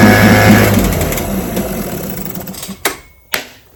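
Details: Vintage restored-then-repaired outboard, started at full throttle after opening the fuel valve and letting the carburetor fill; quick, even two-stroke buzz holding a steady beat before fading; on day four it started first pull and ran 5 minutes; healthy.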